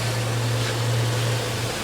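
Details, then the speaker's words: 2006 Chrysler Pacifica at about 70,000 miles after repairing the coil 3 wire by splicing, soldering and heat-shrinking it (earlier P2308/P0303). Steady, even low hum at idle with no stumbles or skips; 13.7 average, no misfire, no codes. Normal idle, fixed. "You can see I have my 13.7 average, running good, no misfire. No check engine light."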